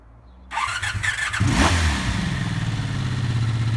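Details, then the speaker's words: Barn-find 1984 Honda V65 Magna VF1100C, first start after the clutch was bled and the fuel was flushed: the starter whirs, the engine catches and settles into a deep, steady idle. Owner is unsure whether it is running on all cylinders; no smoke, small oil drip. "well that sounds nice trying to figure if the engine is clacky or not not convinced it's running on all cylinders"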